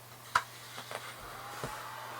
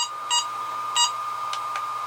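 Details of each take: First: HobbyMate D6 Lite dual charger's external power supply: a faint, steady airy fan whir that runs constantly. Not super loud, but noticeably noisier than the charger's own fan. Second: HobbyMate D6 Dual Lite battery charger; two sharp loud keypress beeps about two-thirds of a second apart over faint steady whine, normal button beep, later turned off in settings.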